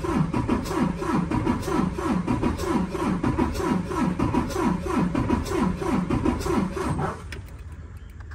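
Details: 2019 Freightliner Cascadia DD15, 785,000 miles, relative compression test before valve adjustment: lopsided cranking at about three beats a second, cylinders 4 and 6 at zero compression, number 5 at 63%.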